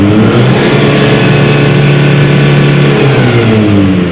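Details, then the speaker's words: Mitsubishi L300 Euro 4 diesel, about 4,000 km, after rubber added so clutch switch presses; clutch pedal released, scanner reads steady even high rev near 4,300 rpm with no misses or knocks; healthy full free rev, versus 3,000 rpm cap with pedal down. "Kita bedakan antara diinjak kopling dan tidak untuk rpm nya"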